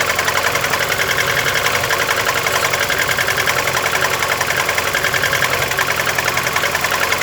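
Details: VAZ 21099 engine idling cold: a sharp, fairly steady tapping three to four times a second. The knock was faint at idle at first, grew louder after 50 km and then stayed the same, with some 350 km, possibly more, driven; cause not yet known.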